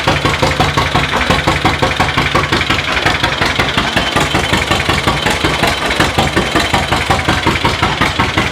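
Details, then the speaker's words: 1936 John Deere Model A twin-cylinder tractor, mostly new rebuilt engine, first run in decades after timing work, hand-cranked start, warming up: even, steady putt-putt of about three pulses a second, no knocks or misses; runs healthy, residual oil and copper coating burning off. "Pull it. It runs. Sounds good."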